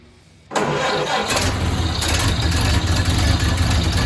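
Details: Dad's 1929 Ford Model A Tudor, rebuilt engine not run in 40+ years: starts at once, settles into steady even low idle, no knocks or misses; carburetor still needs adjusting, radiator won't hold water.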